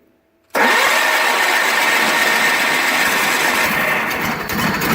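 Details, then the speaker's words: 1985 John Deere 318 garden tractor, not run in about three months since September 22, cold start with gas poured in the carb, choked and a little throttle: steady, loud cranking for several seconds without firing while fuel is drawn up the lines. "so it might take a little bit of cranking to get fuel up and in the lines and everything"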